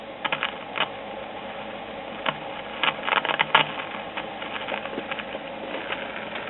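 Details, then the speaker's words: Westinghouse WR209 tube radio after restoration with all capacitors replaced, first power-up at 60 volts on an isolation transformer, fluorescent light switched off: a steady hiss with irregular crackles and pops and no program heard, so the radio is throwing static, source not yet traced. "Go ahead and turn this fluorescent light off. It's a major cause of interference. And I'm hearing some static from the radio."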